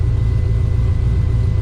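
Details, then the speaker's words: Street car engine on 93 octane, idling while warming up; oil pressure reads right, about 41 psi; a deep steady idle with an even beat and no ticking or knocking; normal idle. "Oil pressure is reading right. Sounding pretty good out here."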